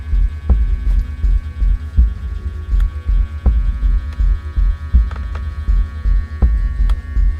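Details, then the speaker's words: Hornby GWR freight model set locomotive on a slow test pulling wagon, crane carriage and brake van; deep, loud droning hum throbbing about 160 times a minute at a crawl, very noisy; owner unsure if the controller is to blame. "let's do this slow test well that's very noisy let's go forward Sam test slow test very noisy oh listen to that"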